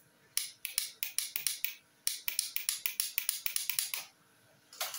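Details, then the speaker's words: Honda CBR150 motorcycle that won't start on the starter, after relay replacement: quick dry clicks in bursts of about eight with no cranking; starter motor suspected next, not confirmed. "Masih sama saja teman-teman, suaranya belum bisa, starternya belum bisa."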